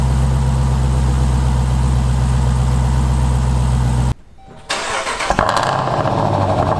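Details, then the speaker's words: Jeep Trackhawk Hellcat engine after cylinder head replacement and top-end rebuild following valve seal damage, first start after priming: brief tick as oil reaches top end, then deep even idle with no knock; healthy. "It lives. That's right, guys. Fired up. Got a little bit of a ticky tick with it. You know, we got the oil coming up to the front end. It's all quiet now."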